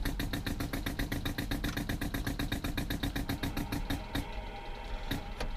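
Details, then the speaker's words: Ford F350 compressed-air venturi supplying vacuum for HVAC blend door diaphragms, truck running, heat on: rapid fairly even pulsing about four beats a second over engine rumble; owner suspects sensor placement causes the pulsing. "that's basically just using the pressurized air from our air system blowing it through the venturi and sucking it out of the cooling system so that the vacuum diaphragms can open and close you can kind of hear it pulsates and I think that's just due to where I put the sensor"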